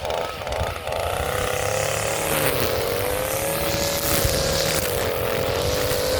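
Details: Echo SRM-230 two-stroke weed trimmer, revived after carburetor replacement, cutting weeds near full throttle on a hot day: a high buzzing note, fairly steady, pitch wavering slightly with load. Running healthy under load.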